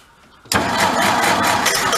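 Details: Vintage air compressor engine started with choke partly closed: runs loud and raspy with sharp hissing edge; exhaust leak in manifold suspected, possible intake leak, not confirmed.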